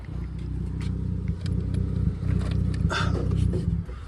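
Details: Dodge Charger idling rough and uneven, a stumbling low thump breaking rhythm every few beats; misfire code on cylinder 6 with check engine light on.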